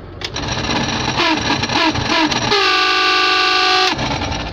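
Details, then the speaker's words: Heater blower just switched on after thawing a frozen engine: loud, uneven whirring settling into a piercing steady whine for a second or so; noisy heater fan, cause unclear. "так печка включается вот здесь с какими-то ужасными звуками печка работает"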